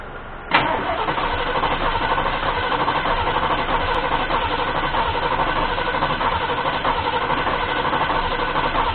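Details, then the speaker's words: Ford 351M V8 truck that had been sitting, hot day: steady starter cranking at about 1.5 cycles per second, engine never catches; no fuel reaching the filter because cranking too slow to let the pump pull fuel from the tank. "I'm not seeing enough fuel coming up from the pump to get fuel to the filter so the engines not spinning fast enough which is not turning the pump that's enough they get a consistent pull fuel from from the fuel tank"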